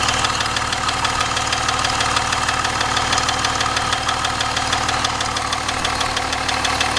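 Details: BMW E38 730d, M57 diesel at idle: sharp regular tick about three times a second over the diesel clatter; engine knock of unknown origin.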